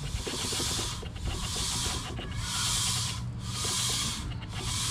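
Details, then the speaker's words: 22-inch 10-lug dually wheel with a Crosswind M/T tire being shaved to fix highway vibration: rhythmic hissing scrape about once a second as the out-of-round tire's high spot touches the shaving blade, then clears it. "touches doesn't touch touches doesn't touch this tire is actually probably the best of a lot that one was really bad"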